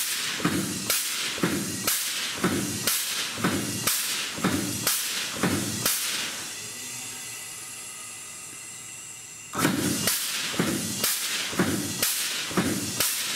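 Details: Bendix ABS/ATC/EBS trainer board, ATC valve test on the drive axle, run for 3.5 seconds, a 3-second wait, then 3.5 seconds again: sharp air bursts about twice a second, pause to a soft bleed hiss, then resume. The traction control valve cycles correctly.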